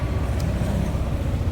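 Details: Yamaha NMAX scooter, about one year two months old, idling while warming up after a sudden no-start the owner blamed on a weak battery; steady, even low putter with no knocks or misses.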